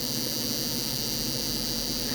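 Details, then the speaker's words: FSP 300W PSU from 2007, 12-volt rail: steady, thin high-pitched chirring hiss like a cicada holds unchanged throughout; the supply is whining and noisy on its outputs, possibly bad caps or its switching section (suspected, not confirmed). "you can actually hear it pretty good so this is the 12-volt rail it is definitely not happy it would still run a pc like this but the pc don't think he'll really much like it"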